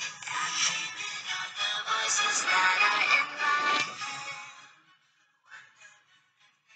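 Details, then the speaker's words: Apple MacBook (model 1502) laptop speaker after repair with two layers of rubber glue and reassembly: music plays clean and full with crisp highs, no buzz, rattle or crackle; speaker working fine. "not sure how my mic is recording but it is working fine and it is full"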